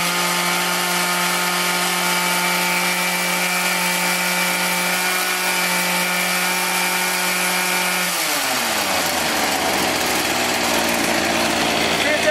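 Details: Echo HC-1600 two-stroke hedge trimmer, revived after sitting a long time, after opening a carb adjustment half a turn: clean, steady high-revving buzz holds about eight seconds, then smoothly winds down. Running properly.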